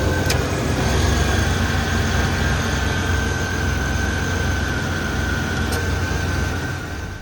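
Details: 1994 Chevrolet S10 Blazer 4.3 V6, first start and drive after intake rebuild (upper intake torqued to 80 in-lb, timing set): steady, even low rumble with smooth regular beat, no knocks or misses; clean, healthy idle.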